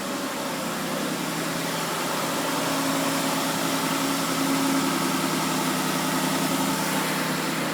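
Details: Mitsubishi 3G Eclipse after a quart of Marvel Mystery Oil and about 30–40 miles: smooth, even idle hum right after cold start, no lifter tick; tick later traced to the hydraulic tensioner, replaced with OEM.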